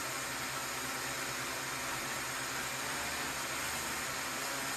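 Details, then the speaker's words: DJI Mavic Mini 2 after repair of error 30210 (motor wires resoldered white, black, red), armed indoors in attitude mode without propellers: steady even high-pitched whir, no catching or roughness; motors spin normally. "Start arming, mantap, kembali bisa normal dan terbang lagi nanti."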